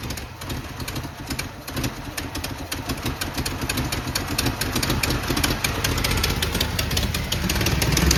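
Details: Mustang running after new thermostat and temperature sensor: uneven, lumpy beat that grows louder, stumbling rather than smooth; gasket still leaking, possibly exhaust related.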